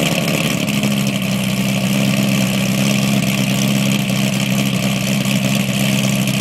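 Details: 2008 cammed LS3 Corvette coupe, LG headers, high-flow cats, NPP dual-mode exhaust, cold start after exhaust leak fixed: loud steady lumpy V8 idle, firm low rumble, no ticking or puffing at manifolds; exhaust sealed, normal.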